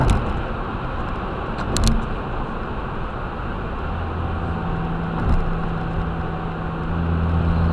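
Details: After installing a 2J front-mount intercooler, a trumpet-like honking appears at full throttle once boost exceeds about 8 psi; low steady horn-like hum rising over road noise on acceleration, possible boost leak; dash cam audio.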